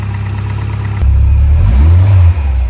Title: Innocenti Mini Cooper 1300 with Vmaxscart Supercharger. Startup after rebuild